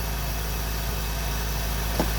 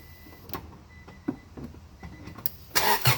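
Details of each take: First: Integra classic car idling after replacing the ignition coil, which showed a hot-spot blotch: steady, even low idle with no misses, stumbles or ticks; running smoothly and healthy again. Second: Classic car cranked with a spark plug tester attached: the starter churns evenly at about four beats a second but the engine never fires; no spark suspected, main relay first suspected, distributor and coil next to be checked.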